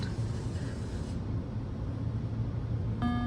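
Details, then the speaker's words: Fish Tales WPC pinball after reseating the sound board ribbon cables: a single clear low bong at power-on with no repeat; sound board starting up correctly (multiple bongs would indicate a fault). "you hear that tone? We call that the bong. I didn't come up with that term, somebody else did. But one bong is good. That means things are working correctly on the soundboard for the most part."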